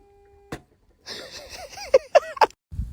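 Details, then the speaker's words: Bike-mounted pagal V4 keeps making quick rising chirps in short bursts with soft clicks, even with the bike switched off; the sound stops when the gas tank cap is opened and returns about five minutes later, so fuel tank venting is suspected. "possibly could be fuel escaping let's try opening the gas tank oh oh that's what it is it's stopped now I waited like 5 minutes and it it's back again"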